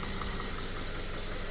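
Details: Subaru FB engine, low mileage, after a no-oil-pressure fault: paper towel from an oil change had clogged the oil pickup, cleared and pan refitted; even, low, steady idle with no knocking or tapping after an hour of running and revving.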